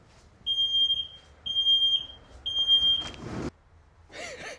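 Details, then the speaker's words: Land Rover Series 2A running indoors on unleaded after years on LPG; three shrill beeps about once a second as carbon monoxide alarm sounds from exhaust, then handling noise: carbon monoxide alarm sounding. "Please be aware there's carbon monoxide downstairs. The alarm may sound. It's going to be loud."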